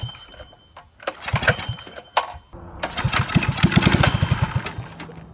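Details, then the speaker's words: Go-kart engine: surges in ragged bursts, dropping nearly silent between them and never holding steady revs; carburetor gaskets had been installed wrong and were then refitted. "we fixed the carburetor turns out my brother put the gaskets on wrong"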